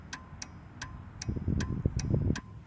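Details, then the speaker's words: Toro Wheel Horse 8-25 ride-on mower, key on, seat switch jumped, parking brake on: toggling the deck engagement and neutral selector gives crisp clicks of about two to three per second over a faint rumble. The interlock safety switch works normally. "same thing on the neutral selector on and off if I hear that clicking that's the switch"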